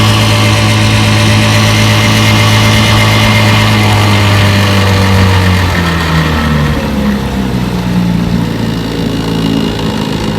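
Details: Restored 1958 Evinrude 5.5 HP outboard, flood-damaged in Katrina. Warm engine under load pushing a 14-foot John boat about 7 mph. Smooth, steady two-stroke buzz easing slightly with throttle; normal, healthy running.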